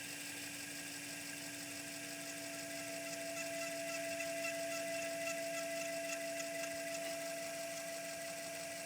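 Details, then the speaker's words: Untested mystery PC floppy drive with clean heads, microphone near the disc while closing the drive: thin steady whine with higher tone rising midway; unhappy drive sound, RPM cannot even be tested, cause unknown, capacitors suspected. "that is definitely like an unhappy Drive sound right there let's try testing the RPM here sounds like it's not working correctly and I couldn't tell you why"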